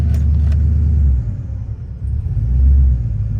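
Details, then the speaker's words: 2000 Silverado with 5.3 Vortec, Brian Tooley Stage 3 cam and 92mm throttle body: a deep V8 rumble dips then surges, and idle hangs high in drive and reverse. There is rough, surging idle and poor AC at idle. "This is my LS with a 5.3 Vortec, and right now it's got a rough idle, surging idle, and poor AC performance at idle."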